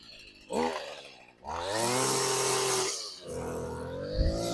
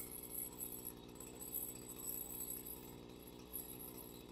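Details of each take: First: Small two-stroke engine after carburetor service, started with choke then choke off: initial bog, running lean, then crisp, clean revs rising and falling smoothly and holding a steady high buzz without stumbling; now runs properly. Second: Stihl FS 55 RC two-stroke trimmer after carburetor/fuel line work (purge bulb wasn't filling): started with a couple of primer pumps, full throttle, choke then off; bogs slightly, quiet fast buzzing run with uneven thin note, running lean and needing richening.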